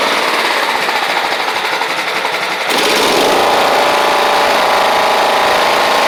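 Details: Toro Proline walk-behind mower with Kohler Command engine, after new spark plug and carburetor, blade missing: settles into steady, fast, even buzz with no surging or misfires; normal running.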